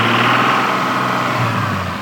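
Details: Stock Toyota Supra MK3 with 200,000 km, burning about 1 litre of oil per 600 km: loud revving engine with a persistent mid-pitched whirring under acceleration; owner suspects valves or injectors, source undetermined.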